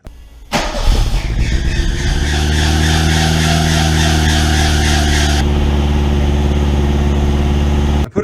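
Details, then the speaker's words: 1985 Ford Mustang SVO turbo, first start after a couple of years unused: the engine settles into a steady idle with a high thin squeal from the slipping air conditioning belt. "when I started up for the first time there was a lot of squealing going on and it turns out that the air conditioning belt was slipping"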